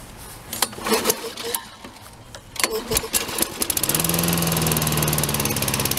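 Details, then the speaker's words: John Deere mower: after clatter it holds a fast, high-rev buzz. The throttle cable spring caught underneath was holding the throttle wide open; freeing it made it run better. "Well, the John Deere is running much better now. The throttle cable spring evidently was caught underneath this"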